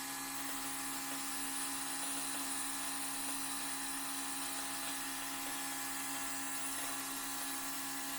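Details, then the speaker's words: 2002 6.0L LS drive-by-cable engine, plugs out, fuel pump triggered by battery switch for leak check: steady high-pitched whirring hum, fuel heard through crossover tube; normal, no leaks found. "I can hear the fuel going through the crossover tube."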